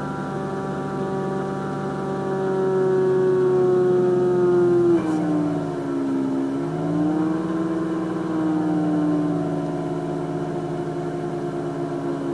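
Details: Mazda RX8 at cold start: a clear high whine over idle dips with a rev blip, then returns. The cause was never found; some suggest changed oil flow after an oil cooler line replacement. The engine later showed low compression.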